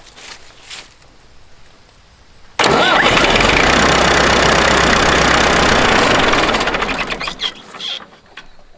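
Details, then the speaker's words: IMT 560 tractor diesel with a temporarily installed electronic fuel pump, started without the pump switched on. Cranks briefly, catches at once and settles into a steady, even clatter before shutoff. Clean, healthy start. "and it started and i didn't have the fuel pump going so let me start it and run it for a couple minutes here"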